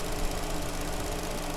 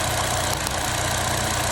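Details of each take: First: Vauxhall Astra after replacing a broken coil pack that made cylinder 2 misfire: even, steady idle with a smooth low hum, no stumble; engine now running cleanly on all cylinders. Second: Vauxhall Astra at idle: runs rough with an uneven stumble breaking the beat; misfire caused by the cylinder 2 ignition coil arcing out so spark doesn't reach the plug.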